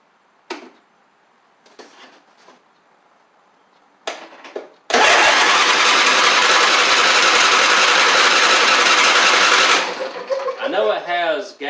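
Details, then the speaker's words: John Deere D140 riding mower, once blowing fuses, freshly oiled and cranking on its old starter solenoid with gas in the tank: about five seconds of steady cranking that never fires; cranks but won't start, before carb spray. "let's see if it'll kick over with this yeah so it's not getting any gas in"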